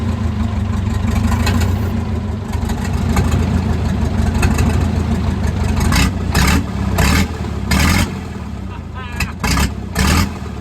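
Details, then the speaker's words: Caterpillar 922B loader diesel engine just revived, electric fuel pump fed from a gravity tank; heavy uneven chugging with lumpy surges as it revs, heavy blow-by at breather, oil pressure good: rough running, engine worn out. "Early this morning, we finally got that thing fired right up, but it's running rough. That engine is pretty much done."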